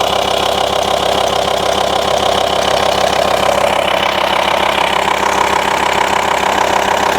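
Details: VW T5 Transporter 2.5 BNZ diesel at idle after fixing the intermittent air-con fault: steady, even diesel beat with a smooth compressor hum, and cold air now comes through.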